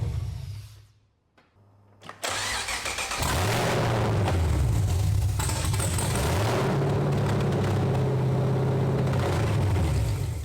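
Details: BMW E46 LS3 V8 swap first start, fuel primed: brief starter whir, then the V8 catches into a loud lumpy even idle with deep rumble; healthy start and run.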